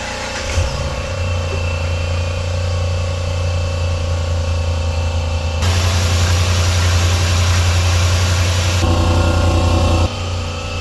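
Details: 2012 Dodge Ram 1500 5.7L V8 idling with an uneven, loping beat: cylinder 5 misfiring from very low compression, inspected for a warranty claim.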